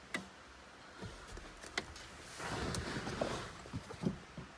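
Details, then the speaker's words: Jeep Liberty with a Nitrous Express GM universal kit (part 20902): sharp scattered clicks with short hissing bursts, the purge solenoid switching and venting normally, which works only with the arming switch on. Nitrous and fuel solenoids engage at wide-open throttle. "open throttle you can hear the nitrous and the fuel solenoids in the back"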